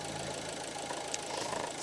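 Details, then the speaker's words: Alfa Romeo Giulietta 1.4 T-Jet, cold engine on fast idle during a PCV valve test; steady raised idle with an even whirr and light valve tick, no misses; oil filler cap very slightly sucked in; normal. "et là on est motor froid ralenti accéléré et là le bouchon il est très légèrement inspiré mais vraiment très légèrement"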